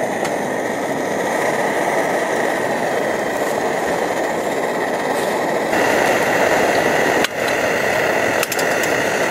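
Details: Optimus Hiker Plus stove, cooking lunch; steady, even hissing roar with no sputter or pulsing: normal burner roar.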